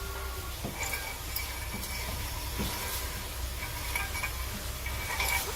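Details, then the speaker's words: 2020 Dodge Charger rear end with drum brakes, rear wheel spun: irregular metallic clinks over a steady scraping grind, heard from one side only; something is loose inside the rear brake, cause suspected. "I see I can hear stuff grinding. Let's see. Do I hear it on this side? No. Everything I'm hearing is over here, guys."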